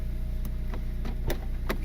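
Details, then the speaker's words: Turbocharged Honda Civic R18 on open exhaust, just after first oil change post-turbo: fires and settles into steady even low idle with light clicks, quiet, oil light off, no leaks. Normal idle. "Nice and quiet. I'm running that open exhaust right now."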